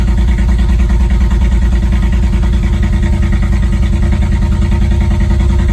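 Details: BMW Z4 E89 35i on cold start: a loud cold idle with an uneven, lumpy beat of about three stumbles a second, the car rocking and a warning light going off; cold-start misfire, cause unknown.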